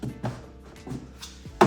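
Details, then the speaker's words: 2016-2020 Kia Optima Hybrid trunk after replacing the failed trunk latch. A few dull thunks ending in one solid clean latch with no rattle or grinding; it closes and catches normally. "Car's back to normal. The trunk closes, no problem. Everything works as normal."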